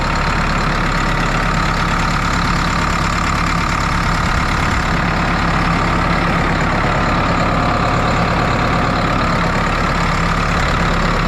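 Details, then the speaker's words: New Holland 6610S tractor, 5.0L Genesis 4-cylinder diesel, idling after head gasket and valve job; steady smooth rumble, no knocks or misses, no radiator bubbles; sounds and runs good. "But it sounds good, it's running good. Don't see any bubbles in the radiator, so that's a good start."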